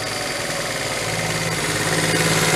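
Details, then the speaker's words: 1974 Honda Z50 monkey bike, restored but never running, idling: wavering, hunting beat that keeps swelling and never settles; unstable idle, owner suspects intake air leak at the manifold, missing gasket. "yeah idle's kind of jumping around a little bit I might have an intake leak let's see"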